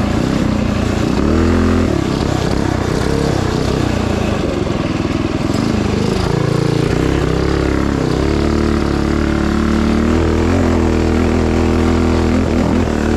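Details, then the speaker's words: Tillotson 228cc MKII racing engine on mini bike: small single revs unevenly, sagging with a brief lull and spitting right when throttle opens, then runs fine; off-idle stumble, cause unknown, spark plug to be checked. "Yeah, it's right when you get on the throttle, no matter what. Right when you hit it, it's got a little lull, and then it's fine."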